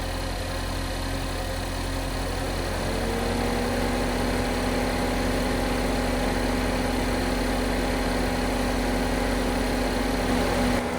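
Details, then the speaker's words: 2010–2017 Chevy Equinox/GMC Terrain just after serpentine belt replacement: steady, even idle with smooth hum and no knocks, squeals or belt chirp; normal running. "All right, so everything seems to be working just okay."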